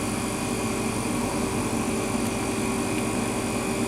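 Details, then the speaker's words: Rivacold refrigeration compressor after new start and run capacitors (was a lazy starter; relay contacts had stuck on, external relay fitted): steady, even hum with fan rush, loading up, no stumbling or clicking; starts and runs normally. "you can hear the compressor loading up now it's working a bit harder okay it starts it starts a lot better now"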